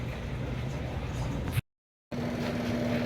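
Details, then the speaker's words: Samsung twin-tub washing machine that squealed on spin, after greasing the basket shaft and seal bushing: even, steady low drone with smooth hum and no squeal, knocking or scraping; spin basket turning normally. "Como vieron, pues ya colocamos grasa en la flecha de la canasta, y pues ahorita ya está girando lo del centrifugado."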